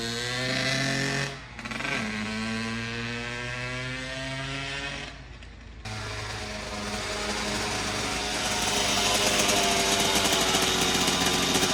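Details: 2009 Kawasaki KX85 two-stroke after new fuel and jets: buzzy revs then hangs at a fast idle that won't settle. Owner suspects an air leak.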